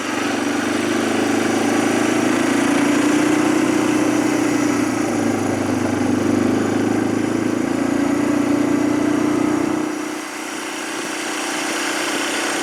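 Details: 2007 Arctic Cat 400 ATV after carburetor cleaning and spark plug replacement: smooth, even single-cylinder idle with a steady drone, no misses, then settles lower; normal, healthy idle.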